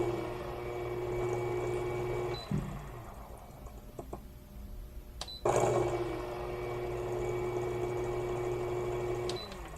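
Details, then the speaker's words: Fellow Ode coffee grinder, compared with Baratza Encore and Urbanic 080, grinding with a smooth, quiet, steady motor hum that pauses briefly and resumes; it has a faint idle hum when powered on. "예 라이너가 돌아가는 그 소리가 y 정도에는 엔코 5v 제가 그 소리 측정하는 그 장비가 없어서 그런데 굉장히 조용해요"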